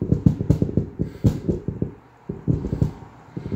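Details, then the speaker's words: KLH ASW10-100C subwoofer: uneven bursts of crackly, distorted bass thumping that come and go; dirty contacts in the scratchy volume pot need cleaning. "basically that's bad that needs to be cleaned"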